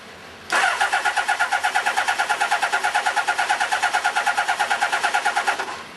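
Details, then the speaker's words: Kawasaki GPZ600R, first start after over 18 months off the road, on choke: catches quickly, then a lumpy fast idle with a strong, uneven throb about three times a second; owner says it's running on 3 cylinders, with the 4th trying. "Sounds like it's running on 3 cylinders, but not bad for 18 months off the road. Definitely running on 3."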